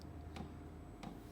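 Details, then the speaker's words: Webasto 12 V diesel heater about 3–4 minutes into warm-up, drawing about 8 A: soft regular ticks roughly two-thirds of a second apart over a quiet hum, the normal fuel dosing pump ticking while the heater warms up. "Tık tık diye ses geliyor. 8 amperle devam ediyor."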